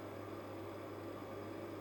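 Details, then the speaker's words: Refrigerator compressor on a 24 V to 220 V 500 W pure-sine inverter after a failed first start attempt (owner suspects a capacitor charged up): steady, even low hum with no stumbling or cycling; running smoothly after starting. "Він працює і Холодильник працює Я не знаю як це сталося"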